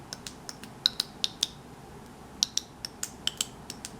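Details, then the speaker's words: 1994 Saab 9000 Mark IV ABS valve body on the bench, solenoids triggered one by one via ground pins; crisp, sharp clicks in small irregular bursts, each valve snapping cleanly; solenoids working normally. "can't really see anything now you can do is hear them the solenoids work so the valve body is fine working from uh from that perspective"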